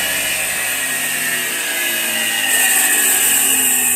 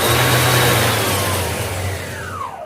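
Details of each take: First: Iveco 12 V alternator on the bench (customer says it isn't charging): high steady whir; the pulley stops but the rotor keeps spinning inside and fades slowly, a faulty slipping overrunning freewheel pulley. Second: Iveco alternator after replacing the faulty overrunning (freewheel) pulley, bearings untouched, belt refitted, on test: smooth even spin with steady hum, no rattle or scraping, clean falling tone on coast-down. Normal alternator run.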